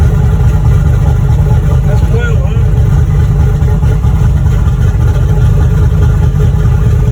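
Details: Boosted V8 black truck, freshly rebuilt after a head gasket blew at 11 psi boost. Deep, steady rumble holding an even idle with no knocks, ticks or misses; a healthy engine settling in.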